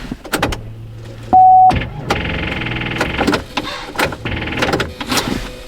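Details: Pontiac Grand Prix, last start attempt before charging the battery: a beep, then starter churns and stutters about a second with clunks, engine never catches; cause suspected, not confirmed.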